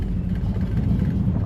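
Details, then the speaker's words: Car's V8 on its fifth engine install, running through old Porter mufflers, transmission jerky: deep, steady low rumble with an even beat, no misses or ticks; a healthy old-school exhaust note. "Like, this car sounds the best with those old Porter mufflers. It sounds like old school."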